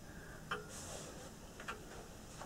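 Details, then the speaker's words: Early Scottish tall case clock on first start-up after restoration, in a quiet room: uneven tick-tock with gaps alternating long and short, about 1.2 then 0.9 seconds. It is slightly out of beat. "little bit out of beat. I'll just adjust the bead on it a little bit, just bend the crutch."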